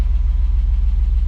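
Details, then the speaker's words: BMW E34 Touring with M50B20TU engine, dry for about 2 years, running after oil pan replacement: steady low idle with a soft, even knock about six a second on each firing pulse; cause unknown. "like that but seems to be working like fine there is a little bit knocking sound maybe it will go away maybe it won't I don't know"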